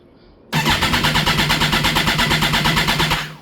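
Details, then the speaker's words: 2011 Kawasaki Ninja ZX14: starter spins the engine in quick, even pulses for about three seconds but it never catches; crank no-start, owner suspects the loudly humming fuel pump is leaking internally. "Yeah. Nothing. it won't do anything. So, my guess is that fuel pump's humming really bad."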